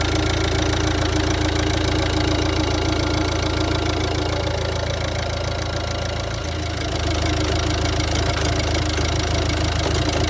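Diesel idling with an uneven, lumpy clatter at roughly three beats a second that never settles; it's idling rough.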